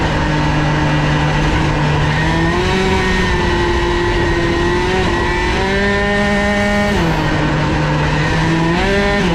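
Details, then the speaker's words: Fox Origine moped with a Boost cylinder head, prototype Stradivario part and modified transmission: a high, buzzing two-stroke note rises and falls with the throttle but hangs flat at the top. The rider feels it no longer pulls, with little power around 12,000. "A priori, donc on a plus beaucoup de puissance à 12 002, hein, parce que je sens que ça tracte pas."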